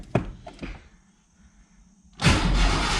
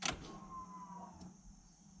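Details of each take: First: Ford with TFI distributor, crank no start: starter spins the engine steadily for about five seconds with even churning rhythm but it never catches; fuel pump primes normally and spark was present at the distributor, so distributor is being pulled next. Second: Ford with TFI distributor, no-start: fuel pump just reinstalled in the tank, click then brief steady electric hum fading after about a second as the pump primes normally; spark was present at the distributor, car still does not start.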